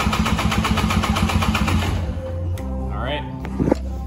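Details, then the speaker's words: 1998 Polaris Explorer 400 two-stroke ATV that barely idles, hesitates and stalls; compression test cranking at wide-open throttle: fast, even beats about four a second, each equally strong; gauge then reads about 105–110 psi, compression good. "so hold your throttle wide open crank it for a couple revolutions about five seconds and then we'll check our compression"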